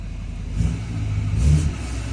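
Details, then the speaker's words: L5P diesel with newly installed Calibrated Power 64mm turbo: deep, smooth rumble swelling on a short blip and easing back, even and clean; owner says it purrs. Normal free rev. "Oh, yeah. Oh, yeah. Listen to this thing just purr."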